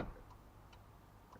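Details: Interior lights on a used 4x4 truck blink like a turn signal when the door opens; sharp relay-style clicks, about three in 1.5 seconds, come from the signal flasher in a quiet cab.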